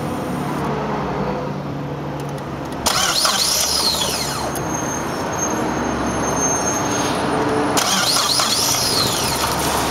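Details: 2003 Saab 9-5 2.3T HO 235R with 132K miles on a morning start: the starter churns for several seconds at a steady rapid rhythm before it catches. It runs great once started; fuel pressure testing is being pursued.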